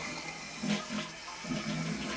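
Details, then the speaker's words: Toilet test flush after replacing a leaking 2-inch flapper that caused constant running and phantom flushing: flap lifts, strong rushing gurgling flush empties cleanly, no water running afterward; repair successful, normal flush. "Flap comes up. Flushes. Alright, it's good. So I don't hear any water or anything."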